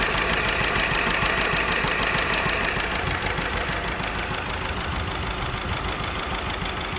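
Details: VW 1.6 TDI diesel (CAYC engine) idling unevenly with a repeating stumble about three times a second, the lumpy beat of a misfiring cylinder. Engine misfire at idle.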